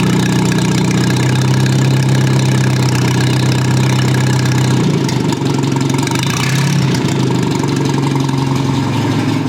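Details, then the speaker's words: Old Rusty four-cylinder engine after firing order, carburettor and ignition timing corrections: warm steady even idle with low drone, no knocks or misses; runs very smoothly, normal healthy idle. "I think this is pretty good. And it runs very smoothly, as you can hear."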